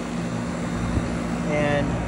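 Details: Steady, even low hum of compressor and fan with no chatter or buzzing on a 30+ year old 1990s condenser after contactor troubleshooting of a no-cool call; 248 V across L1 and L2, unit back to cooling normally.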